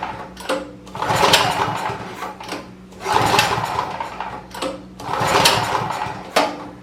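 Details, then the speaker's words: Champion 4000-watt generator curb find, carburetor reportedly rebuilt, spark present, ignition on and choked: three slow recoil pulls spinning it with no firing; cranks but won't start, likely a fuel problem. "yep so we're dealing with a fuel problem more than likely"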